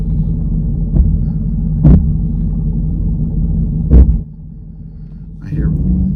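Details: Jeep Grand Cherokee, 161,000 miles, check engine light on, test drive over bumps: low rumble with dull thumps from the front passenger side; shock first suspected.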